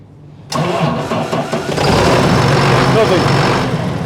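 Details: John Deere 7810 tractor that would not start, after cleaning a split, corroded battery clamp found by voltage drop test: brisk, even crank that catches quickly into a steady diesel idle; normal cranking and start.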